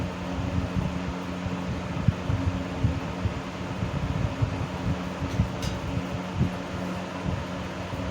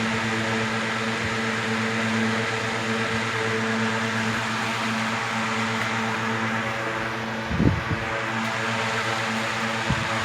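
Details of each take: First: 1970s 16-inch Toastmaster box fan with its original bent blade set, counterclockwise rotation, on low speed: low steady hum with uneven throb and scattered rattly ticks from wobbling blades, noticeable vibration; fan blade imbalance. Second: 1970s 16-inch Toastmaster box fan with replacement 1940s desk-fan blade set, on high: steady even hum and whoosh, minimal vibration, no rattle, wobble or ticking; normal running.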